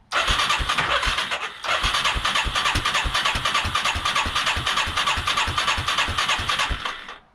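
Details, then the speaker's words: 1989 Yamaha Moto-4 350 single after rebuild, with a backfire and an exhaust leak: even cranking chuffs for seven seconds that never catch. Crank no-start; owner suspects worn rings, as compression was 90 psi dry and 140–150 psi wet. "I might have worn rings. And the reason for that is when we did the compression test with a dry cylinder, it was 90 psi, which is really pretty low."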